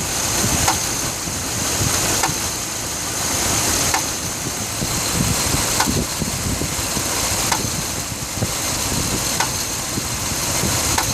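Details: 2006 Dodge Ram 1500 5.7 V8 on cold start: rough idle with a sharp knock about every 1.5 seconds; happens only when the block is cold, and the check engine light stays off.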